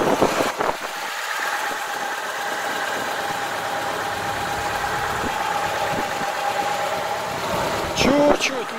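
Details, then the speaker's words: VAZ Niva engine (owner mentions 400,000 km) after lubricating the distributor with an oil syringe: steady, even idle, only a faint high hum; the former grinding and knocking noise is gone. "Звука нету, парни. Пропал звук."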